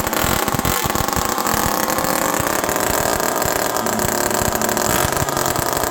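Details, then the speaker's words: Homelite Super Mini two-stroke chainsaw run outdoors in the cold with the low jet 1.5 turns out: loud, raspy, unmuffled scream held at steady high revs that never drops back to idle; probable air leak suspected. "This is a perfect example of a saw that probably has an air leak."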